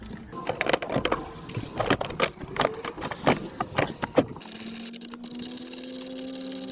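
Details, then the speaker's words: Land Rover Discovery TDV6 diesel starting after a battery replacement, with no faults. A short clattery crank catches quickly, then it settles into a steady, even idle. Starts a little better than before. Normal start and idle. "good oh that does start a little better good no faults after battery replacement"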